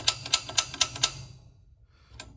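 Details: Gas water heater with the pilot out, igniter plate removed: five crisp sharp snaps at about four a second, then quiet. The piezo pilot igniter sparks as it should, giving a faint small blue pilot flame.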